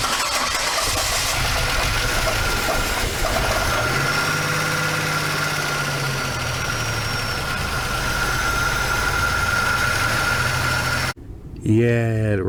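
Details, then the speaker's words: GM 3800 Series II engine, first start after a full overhaul and reinstall, oil pressure came up almost immediately: catches and settles into a steady, even idle with no knocks or ticks; normal start and idle. "now it does run now my biggest fear was that it wouldn't have oil pressure and it would spin the bearings but added oil pressure almost immediately"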